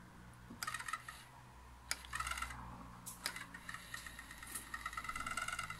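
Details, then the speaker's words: Pioneer A-702R amplifier, Alps motorized input selector: quiet bursts of irregular clicking and rattling as the selector motor turns, with worn drive gears skipping teeth; the selector must be disassembled and its gears replaced. "Ewidentnie, słuchajcie, musimy faktycznie rozebrać selektor i zobaczymy, co tam się podziało w środku."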